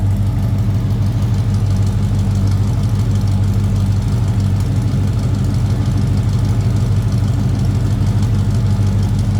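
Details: 1981 Chevrolet C10, 350 small block Chevy, heard from the rear: deep, even tailpipe burble with steady loping pulse, no knocks or misses; normal healthy V8 idle.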